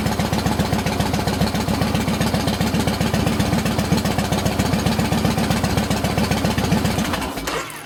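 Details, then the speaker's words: 2007 Yamaha Roadliner V-twin after patching its cracked fuel pump housing: fires right up and holds a strong, regular, steady idle with no stumbles. Normal running. "Fire it up. With the fixed fuel pump. There she goes. Fired right up."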